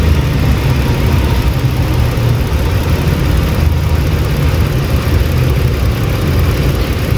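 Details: 2008 Lincoln MKX 3.5L AWD, 199,000 miles, check engine light, runs rough mornings and worsening; lumpy uneven idle with a steady stumble, one cylinder dead from a fuel injector with no injection.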